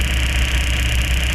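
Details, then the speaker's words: Suzuki APV, odometer 111 km, low power and heavy vibration: lumpy uneven idle with low shake and dropped beats; strong misfire as ignition coil arcs through its side instead of firing properly. "So ngayon hindi tututukan mo So naka-check ko ito yan tutukan mo sobrang lakas po ng mis fire ng kanyang ignition coil Ayan kaya Mayon siyang low power at saka vibration ito ang problema sa kanya mga boss"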